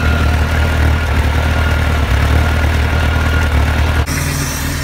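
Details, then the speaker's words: Bayliner 175 boat engine first started after 7+ months in storage, throttle pumped ten times beforehand: steady, even idle with no knocks or misses, oil pressure rising and the TKS system hissing. It sounds healthy. "Hear the hissing of the TKS system."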